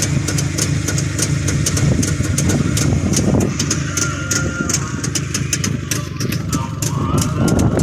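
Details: Freshly rebuilt Jawa 350 single-cylinder two-stroke, original sound: uneven burbling tickover with crisp popping ticks about three a second, steady and unlabored; normal healthy idle.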